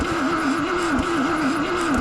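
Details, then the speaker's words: Rover SD1 V8 rally car, sitting over 20 years, cranked on a small battery after a 12 V feed was rigged to the coil: slow dragging crank with wavering whine and uneven compression beats, spark present but no firing; weak starter or engine unclear. "The engine is seems to be turning over quite slowly. So, we don't know if that's down to a weak start motor or whether we've got a bad engineer or what's going on."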